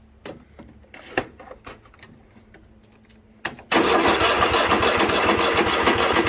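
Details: 2016 Craftsman T8200 Pro riding mower, 24 hp Kohler Elite KT735 engine, 46 hours, after carburetor repair and flushing fuel lines: a few clicks, cranks, catches quickly and runs at an even steady speed without surging.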